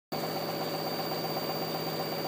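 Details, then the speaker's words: LG washing machine tub spinning with steady even rumble and faint high whine; suspected worn tub bearing, not confirmed; tub rumble during spin. "this is the tub spinning, and the question is that a bearing line? It sure sounds like it."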